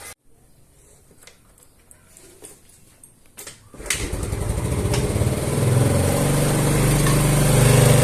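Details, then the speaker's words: Yamaha Mio Smile scooter, previously hard to start and needing full throttle, after valve clearance adjustment and new valve cover O-ring (not carburetor or plug): starts promptly, revs cleanly and evenly, no misses; running normally. "ya jadi permasalahannya sudah selesai ini bukan dari karburator ataupun bukan dari businya ini pengaruhnya itu dari bagian penyetelan di celak katupnya yang bermasalah ini sudah normal kembali"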